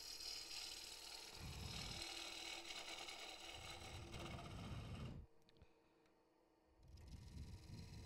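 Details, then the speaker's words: Wood-and-epoxy bowl on a lathe: a rough, aggressive cut through the blue epoxy line makes a harsh crackling rasp as the epoxy shatters, then a quieter pause; a slow cut instead peels the epoxy off in ribbons. "Now, if I go rough on that, you hear it shattering. If you go slow on it, you see it coming out in ribbons."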